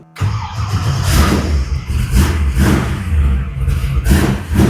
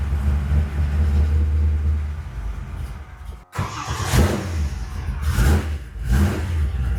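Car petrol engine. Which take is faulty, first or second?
second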